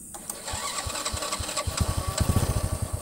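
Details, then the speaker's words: Honda Astrea Grand single, after compression-leak repair for rough running when hot: thuds pick up and settle into an even, steady, smooth beat. Carburettor and clutch still to be serviced. Normal idle. "nah ini mesinnya itu intinya untuk mesinnya itu stabil halus ya"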